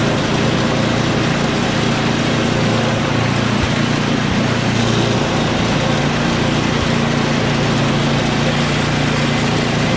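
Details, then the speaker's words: Small single-cylinder snow blower engine running after a carb clean and primer hose fix; the real cause was simply too little gas: steady, even fast putter with no stumbling or surging; runs healthy. "I just did a carb clean for nothing. Just didn't have enough gas in it."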